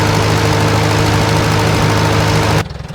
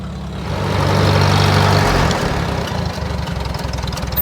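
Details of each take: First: 1947 Farmall A tractor idling; the ignition switch had been left on overnight, draining the battery and burning up only the switch. The carb jet was adjusted slightly. Smooth, even low thump, healthy and well tuned: normal idle. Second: 1947 Farmall A, warmed up after its ignition switch was left on overnight: firm steady beat after an early surge, a bit flat and thin; owner thinks the carburetor jet needs turning up, running lean.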